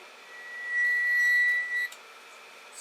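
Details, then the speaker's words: Creality Ender 5 Plus 3D printer with new threaded Z lead screws and brass nuts, greased and oiled. A thin, steady squeak of about a second while the bed lowers toward home, from the nut rubbing the rod, before a Delrin nut fix: lead screw nut squeak. "before it sort of starts at home it squeaks and I put grease on here put oil on these are new threaded rods new like brass nuts on"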